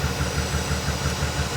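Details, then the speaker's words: Auction car V12 at idle: lumpy, stumbling beat every few firings instead of a smooth burble; definitely misfiring, owner suspects a vacuum leak at the top of the engine, runs better but not great when checked. "it's not a happy v12 all right so there she is she's definitely misfiring"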